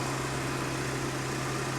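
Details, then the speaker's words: 2015 BMW 750i salvage-auction car, started with a booster pack, idling: smooth, quiet, steady hum with no knocks or ticks, a normal healthy idle. "Listen to her. She purrs like a kitten."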